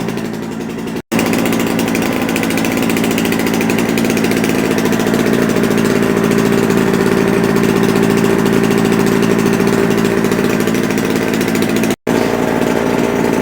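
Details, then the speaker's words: JCB two-stroke generator, not run for a couple of years, just restarted: a steady, even two-stroke buzz at constant pitch producing 200 volts; possibly over-oiled fuel mix, but it runs healthy. "cough definitely running may have put a bit too much two stroke oil in it's doing 200 volts oh sounds good let's find something to plug"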